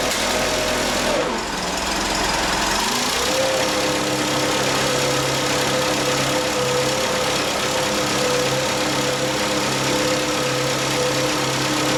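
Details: Bobcat 632 engine after the blow-by repair with new piston and rings fitted and reassembled: it catches after a brief crank and settles into a steady, even idle with no ticking, puffing or misfire; runs sound.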